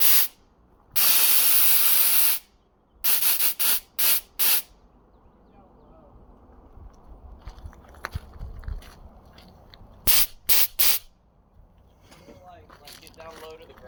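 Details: Nitrous purge test after the stuck, rusted nitrous solenoids were rebuilt and cleaned: short, thin hissing bursts, weaker than a full purge and not spraying much. Air in the bottle instead of nitrous; fix is to drain and refill with a fresh bottle.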